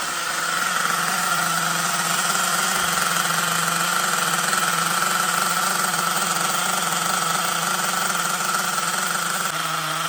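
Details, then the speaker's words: LRP .32 Spec 4.1 nitro engine on its second break-in idle tank in cold temperatures, at around 200 degrees. A steady high buzzing idle with no misses, still running rich with a lot of oil from the exhaust. "so attack number two still running rich so my last stance is almost done you could hear the carburetor you know well not the engine it's idling very steady"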